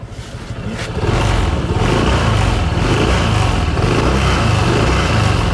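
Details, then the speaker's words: Honda Click 160 scooter revved on the stand: steady low drone with usual belt-drive whir and no rattle; normal CVT noise, the owner's intermittent rattle not heard here. "Yung ingay na to, normal lang naman sa CVT ng Click 160 na ganyan talaga maingay."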